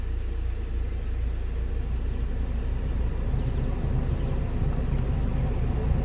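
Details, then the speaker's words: 2017 BMW X1 dash blower after fitting a new blower resistor: constant low airy rush, steady with no squeal, ticking or wobble; fan spins smoothly and blows noticeably stronger than with the old resistor. "so I do feel that is blowing a lot stronger than it was with the uh older version"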